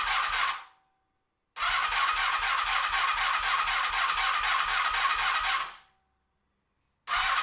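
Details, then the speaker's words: 1986 Honda VF700 Magna V4 after fuel system flush and carburetor cleaning, first start: starter cranks in steady bursts about four beats a second, pauses, then cranks again while the four dry carburetors fill with fuel before it stays running. "it took a little cranking to get fuel to all four of the carburetors but eventually the bike did stay"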